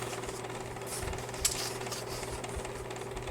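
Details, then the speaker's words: Aries 14B8878 (YFC-1001) 10-inch box fan from 2002, initial checkout: a steady hum with a dry, rattly ticking and squeaking texture from dry bearings; fan also badly out of balance. "yeah see this is just dry bearing"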